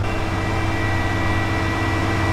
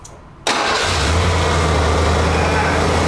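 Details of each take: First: 1991 Ford F-250 5.8L 4x4, first start after sitting about two years: engine holds a steady fast drone stuck near 2000 rpm, never dropping to idle; high idle traced to faulty throttle position sensor. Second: 1991 Ford F-250 5.8L 4x4 after throttle position sensor replaced (now 0.94 V closed, 4.5 V wide open, was 1.9 V causing 2000 rpm idle): quick crank, catches at once, settles into steady even idle, no knocks or misses; healthy.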